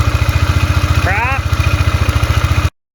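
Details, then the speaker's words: 2002 Polaris Magnum Sportsman 500 after top-end rebuild with used cylinder and piston, fixing smoking and piston slap: even thumping idle about eleven beats a second, steady and quiet, no slap or knock. "use piston overall engine sounds really nice and quiet i think we'll call this one good"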